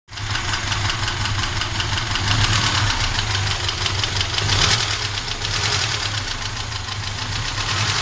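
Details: Moskvich engine knocking at idle; rapid, regular metallic ticking throughout, a sharp knock from inside the engine.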